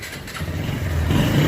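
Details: Bike that would not start, after a few kicks to clear debris and refitting the spark plug: engine catches within a second and rises into a steady, even rev with a clean low thrum; normal engine start.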